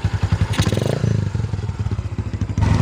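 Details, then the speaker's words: Yamaha Byson, old high-odometer single-cylinder, after engine rebuild with 100 oversize piston, on standard 10W-40 oil: deep even thump with steady pulses and brief throttle blip, no crackle or clatter; running normally. "sehingga perlu oli yang detail menurutmu seperti itu mantul suaranya guys"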